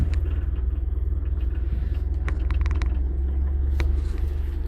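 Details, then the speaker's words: 1970 Citroën DS right after a fuel filter change: low, lumpy, uneven idle at about four beats a second with clicks. It runs briefly and then dies; owner suspects fuel starvation and plans a carburetor rebuild. "It seems to run for a little bit and then just completely dies."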